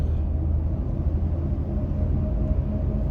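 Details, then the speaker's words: 2024 Ford F-150 PowerBoost hybrid pulling under acceleration with a low, steady hum and faint tonal whine in the cab, heard in both electric and gasoline modes. "Look at this noise. It doesn't matter electric mode or gasoline mode, I can still hear this."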